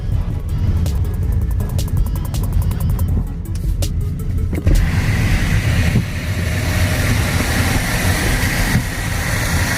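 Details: Hyundai Grandeur IG with newly fitted window visors, driving in light rain: road drone and light ticks, then about five seconds in a loud airy rush as the window is lowered, wind noise caused by the visor.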